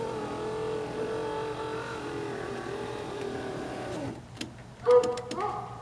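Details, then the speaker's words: Toyota Corolla rear power window after a cheap fix: even motor whir for about four seconds, no grinding or binding, then soft clicks as it stops; window rises normally. "it goes up just fine."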